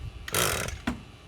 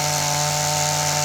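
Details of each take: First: Echo SRM-225 straight-shaft trimmer after replacement eBay carburetor, pulled on choke: two short sharp pops half a second apart as combustion begins to catch, a sign it will start; then idle down and choke adjusted. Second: Old, worn Echo SRM-225 trimmer with replacement eBay carburetor, run without air filter, owner suspects low compression: high buzzy two-stroke note holds at speed, then drops cleanly to lower idle after five seconds; runs smoothly.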